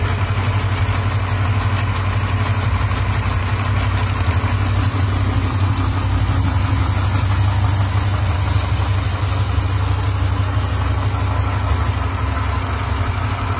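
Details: Hemi V8 with only 37K miles idling: light, loosely regular tick plus dull bottom-end knock about twice a second; cause suspected, not confirmed.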